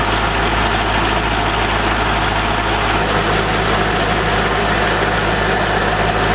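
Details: C5 Corvette V8 first start after 4+ months of repairs (harmonic balancer and front subframe replaced), in neutral: steady, even idle with deep smooth exhaust note, no knocks or misses; healthy.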